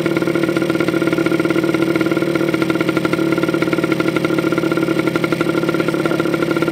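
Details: Honda MT50 (MT5 Tornado) vintage two-stroke, full-power New Zealand version, microphone near the exhaust pipe: crisp, buzzy note running steady and even with no knocks or misses; healthy engine.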